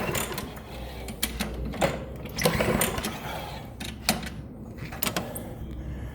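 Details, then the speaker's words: Push mower that won't start: with spark confirmed and a small squirt of starting fluid, recoil cranking gives a few sharp pops but the engine never catches; no-start with occasional firing pops, needs repair. "Ah, hear that pop? It's popping a little bit now. So, it's trying to do something."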